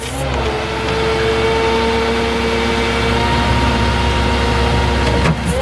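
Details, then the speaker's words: Salvage 2004 Chevy C5500 rollback with 21-foot Century bed, PTO engaged and engine automatically at high idle: constant hydraulic pump hum as the bed runs back and up and down; normal hydraulic operation, no issues. "Lifts up and down just fine. No issues there."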